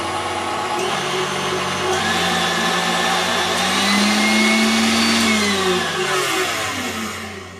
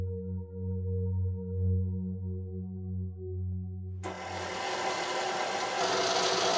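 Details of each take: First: KitchenAid stand mixer after regreasing to replace old smelly grease and fitting a TPU bushing under the head-height screw; it had struggled with dough and made horrible noises. Now a smooth, even motor whine with no knocking or grinding: running normally, much quieter. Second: Old, well-used KitchenAid mixer with aged, smelly grease, struggling with dough before regreasing: a low hum with whining gear tones, then a harsh raspy grind; gearbox strain suspected.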